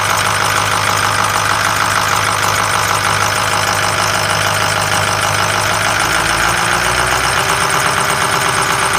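Steady idle with a thin, high chirping squeal over the engine; fuel-soaked serpentine belt slipping on its pulleys, needs replacing.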